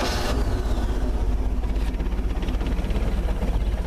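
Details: Engine warmed after about 30 seconds of running, restarted with no throttle: catches instantly with a short crank, then settles into an even, steady idle with a regular pulse and no knocks; starts easily every time when warm.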